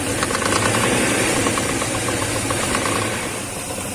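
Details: BMW M62B35 V8 after poor-quality previous repair, camshafts found shifted nearly a tooth: rough, uneven idle with a loose slapping rattle about three times a second, typical of a slack timing chain hitting its cover.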